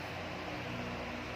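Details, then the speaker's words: Hatari 18-inch fan on speed 3 after replacing the failed capacitor (before, it spun weakly with a rough noise): smooth, constant airy whoosh with a low steady hum, no wobble or clicking; runs strong like new, normal. "ผมจะทำการนี่ครับให้เพื่อนๆดูความแรงของมันนะครับแรงแรงมากๆเหมือนพัดลมซื้อมาใหม่เลยนะครับ"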